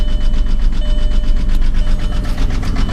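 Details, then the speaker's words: 2001 Volkswagen Jetta VR6 with a lumpy idle that shakes the whole car, irregular thumps about four a second and loud valvetrain ticking like a misfire. Owner suspects something more serious than a misfire; cause unknown. "it definitely runs like like absolute this whole entire car is just shaking right now"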